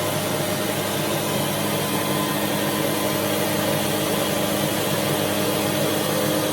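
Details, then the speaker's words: AC/DC air compressor running: loud, steady high-pitched motor drone with even hum, no knocks or surges; normal running. "AC/DC gives you a chance to hear what it sounds like. Quite loud."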